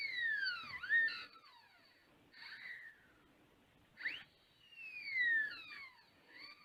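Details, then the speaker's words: Whistling whine sweeping up and down in pitch as the wheel spins up and slows, from a newly fitted 1000W 48V front hub motor e-bike conversion kit on a Mk5 frame; owner hopes the noise settles down, cause unknown. "I hope that noise settles down. As opposed to the back wheel."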